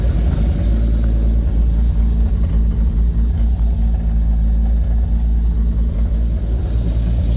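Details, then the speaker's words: Lexus IS300 with a swapped 2JZ-GTE, BC 276 cams and a Fueltech FT550 idle/startup tune, first fire-up: deep, steady idle rumble with a lopey cam pulse and no knocks or misfires; fuel correction under 1%, running well. "this thing has a BC 276 cams in there so it's running pretty good"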